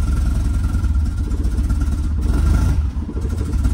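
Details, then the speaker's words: Rough, lumpy idle on a 1967 VW Type 3 Squareback with a newly fitted Pertronix Flame-Thrower SVDA vacuum-advance distributor, during break-in; it sags and stumbles near stalling when the throttle is released because the ignition timing is way off. "let's see if I let go of my foot it's gonna die hopefully it doesn't oh yeah the timing is just way off"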